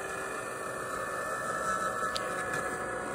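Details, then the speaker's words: $5 hair dryer taped in cardboard box, about 200 degrees inside: steady airflow rush with thin high whistle, fan strained and rough; abnormal fan noise. "Oh yeah, that fan does not sound good at all."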